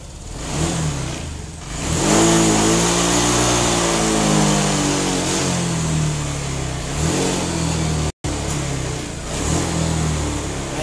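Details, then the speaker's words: Honda Vario 125/150/160 injection scooter at startup: revs climb slowly and sag after each blip, engine lagging behind the throttle; hesitation from a misadjusted TPS (throttle position sensor), to be fixed by adjusting it with the engine running and resetting the ECU. "is the position on the throttle in this kilometer section, it actually goes down, yes, this is very, very dangerous when What do we want to do to pass another vehicle?"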